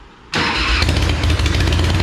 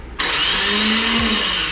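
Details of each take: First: Sucker Punch Sally chopper after fitting a new upgraded starter. Engine spins over fast and evenly at a steady beat with no labouring or dragging: much stronger cranking than with the old starter. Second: Sucker Punch Sally chopper with its old starter, before replacement. Hollow electric whir that sags in pitch with no compression beats or firing: the weak starter doesn't turn the engine over, as it often fails to.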